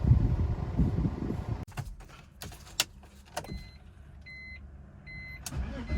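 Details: 2000 BMW 328Ci (E46), retested after cleaning a part and trying without an aftermarket part: engine catches and runs roughly for a moment then dies, followed by clicks and chimes; rough running and stalling, same issue persists, cause unknown.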